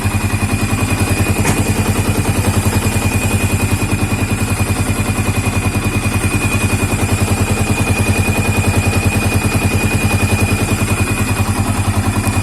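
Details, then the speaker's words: Yamaha Vixion (old) 4-stroke, fully hot after 10–15 minutes, at low idle: a thin steady whistle over the idle pulse, loudest at the radiator water pump. It vanishes at 2000–3000 rpm; a water pump seal leak is suspected and the pump is to be disassembled. "ini posisi mesin udah panas Kelihatannya sih di sini ya ini di bagian pompa air pompa air radiator ya"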